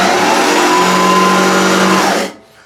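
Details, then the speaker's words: Allett Stirling 43 reel mower running after backlapping in the machine with the zip-tie-and-weight method, now passing a clean paper test: even whir with almost no reel contact and no knocking or grinding; normal reel running. "So, there's almost no real contact. There's no knocking sounds."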